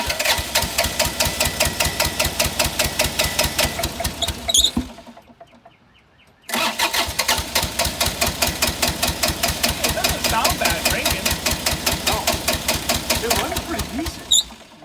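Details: Bobcat 328 mini excavator diesel, very dirty air filter, injectors suspected, on propane injection assist: steady cranking about two and a half compressions a second, pause, more cranking, never catches; hard start, cause unconfirmed.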